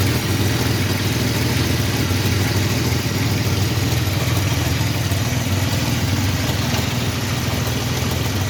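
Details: 1985 Chevrolet S10, 2.8 carbureted two-barrel V6, 4-speed automatic, transmission not yet installed, almost 60 psi oil pressure; steady idle with loose, uneven tapping of a few beats per second under exhaust; knock source unknown.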